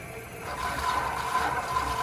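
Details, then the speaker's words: GE reverse osmosis system refilling after flow restrictor replacement and new post, RO and pre-filters installed: steady hiss and gentle gurgle of water flowing through the lines; normal water flow. "Water will begin to flow and we'll go up top and turn the water off once it stops spurting and running efficiently. You can hear the water flow."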